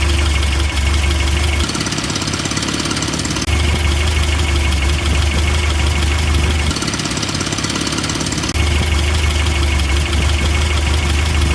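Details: 1988 Toyota Pickup, 22R engine with Aisin carburetor, idling after a new exhaust manifold stud was fitted to fix a bad exhaust leak: smooth even low hum, no ticking or puffing; leak is fixed.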